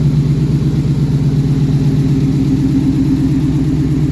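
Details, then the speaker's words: Mustang Mach 1 running after installing parts: deep, even V8 burble with a steady low beat and no knocks or ticks; starts and runs, smooth healthy idle. "well that was a success I'm uh super happy that everything actually starts and runs now"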